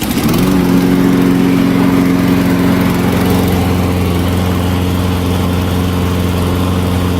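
Small engine catches and settles into a steady, even drone with a clean low tone and no stumbles; running healthy.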